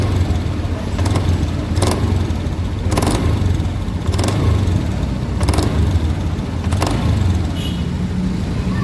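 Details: Honda Beat Deluxe scooter, CVT block tested: steady low drone with irregular sharp rattles about every second from the belt case; worn CVT bearing, replaced.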